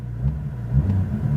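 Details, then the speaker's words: Copart salvage car with airbag damage showing a low engine coolant level warning: engine blips with a deep exhaust rumble but won't climb past a low rev ceiling, limited by the low-coolant warning. "oh it's not going to let us go too high because of the coolant but this car does sound absolutely insane wow"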